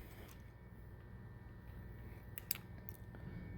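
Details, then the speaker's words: 4-wire Honeywell hydronic zone valve: quiet motor hum with sharp, uneven clicks as the chewed, stripped teeth on the motor head slip, so the valve can't close the end switch. "Alright, so now I'm going to show you a clip from the other zone valve, and you'll hear the clicking. That clicking is these teeth on the motor head."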